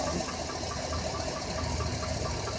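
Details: 2007 Chevrolet Avalanche V8 at idle: a light, quick tapping over a busy idle; a lower-end knock traced to the number 5 piston.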